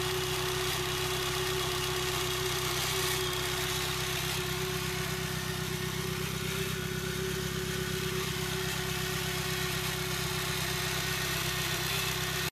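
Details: Nissan SR20DET engine at idle: even idle with a steady mid tone and a light repeating tick about three per second; strange noise, cause unclear.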